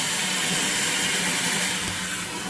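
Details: 1958 Canadian Standard Cadet toilet, just hooked up, refilling through its original American Standard fill valve: a smooth, steady rush of water with no squeal, chatter or hammering, a quiet, normal refill.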